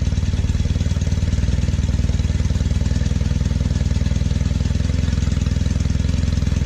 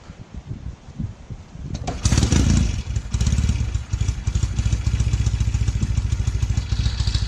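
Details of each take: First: 1968 Norton Commando twin on a test run with 20W50 oil instead of monograde: uneven, lumpy thump about four beats a second, running rough and smoking heavily on the left side; owner plans head removal. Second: 1968 Norton Commando twin, restored, new NY7C plugs fitted, carbs tickled: a few kicks, then it catches and settles into a steady, even twin beat with no misfire; starts and runs cleanly.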